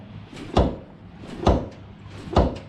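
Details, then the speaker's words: Indian Challenger motorcycle rocked while parked: three sharp metallic clunks on rear shock up-travel from a loose shock mounting pin, worse with higher preload (set to 2). "you can hear on the UP travel um so as soon as you take load off the shock the UP travel uh this pin moves a little bit"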